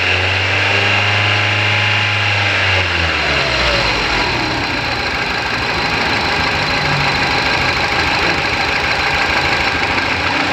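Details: Engine with number 1 cylinder not working and throttle valve not opening: uneven idle stumbles, then revs rise and fall with a jerky, lumpy knocking beat as the accelerator is pressed; cylinder misfire.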